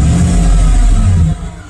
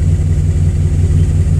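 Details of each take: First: Chevy truck after ignition coil pack replacement: quick throttle blip rises and settles back cleanly with even note, no misfire stumble; runs smoothly, rough running from bad coil pack fixed. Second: Chevy with failed ignition coil pack on cylinder number one, before replacement: uneven, lumpy low thump at idle with faltering pulse, running rough; misfire from failed ignition coil.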